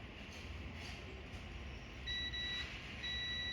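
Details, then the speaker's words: Laptop motherboard with an on/off fault: a steady high multimeter continuity beep across a power-rail capacitor, where no beep should sound. This indicates a short, and an RT-series IC is suspected and replaced. "नहीं बजनी चाहिए थी ; अगर इसमें से beep की आवाज आ रही है, तो कोई समस्या है। इसमें बीप की आवाज नहीं आनी चाहिए।"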